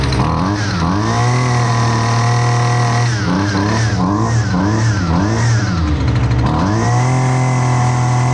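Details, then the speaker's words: Husqvarna 128LDX string trimmer, long stored, won't-start complaint fixed, during high and low speed jet carb adjustment: two-stroke buzz holds steady then blips up and down; normal running. "you'll be able to see how the machine reacts to rich and lean settings on the high and the low speed jets."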